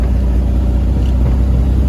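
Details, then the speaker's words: 1970 VW Bus on a test drive with newly installed electric fuel pump (replacing mechanical). Deep even air-cooled rumble, no misses, knocks or stumbles; idling good, still has punch, no noticeable performance difference. "electric fuel pump yeah it does this gear is idling good since he still got a little punch"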